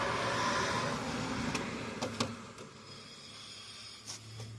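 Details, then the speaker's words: 2007 Saturn Ion, wheel spun by hand: soft, raspy rubbing swish from a worn wheel bearing, also heard while driving and worsening with use; bearing to be replaced. "yeah you can hear it rubbing so that rubbing noise means a bad bearing yep so we need to get that replaced"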